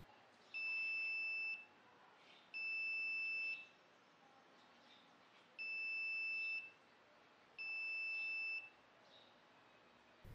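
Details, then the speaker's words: Arduino soil moisture project with 5 V buzzer: four shrill one-second beeps roughly every two to three seconds because soil moisture is below the set value and the soil is completely dry; low soil moisture buzzer alarm. "right now you can hear the beeps as the soil moisture value is below the set value you can clearly see that the soil is completely dry"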